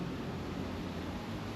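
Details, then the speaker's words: 1998 Ford XH Falcon front wheel bearing, hub hand-spun with brake pads removed: low, rough, continuous grumble from the worn bearing, confirmed as the noise heard earlier; replacement suspension kit to be fitted. "She is grumbly. Good thing we got a kit. But yeah, that is definitely grumbly. And that's definitely the sound that I was hearing in there."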